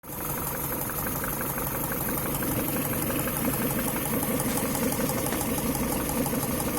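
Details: Idling engine with a steady fairly quick knock about three a second riding over the run; source of the engine knock unclear.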